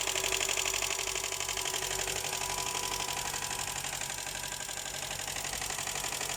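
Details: Honda Accord 7 petrol engine at idle, hood open; automatic transmission oil old, tensioner belt at its limit, power steering pump seeping: steady sharp knock about four times a second over the running sound; engine knocking.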